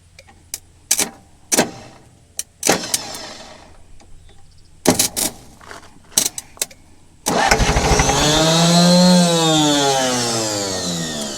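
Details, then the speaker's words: Scrapyard diesel forklift cranking on a small jump pack in several short stabs, then a long roar that swells and fades; it starts briefly but won't keep running, an intermittent no-start. "Tôi có thể làm cho nó ngừng hoạt động Tôi không thể khiến nó tiếp tục chạy."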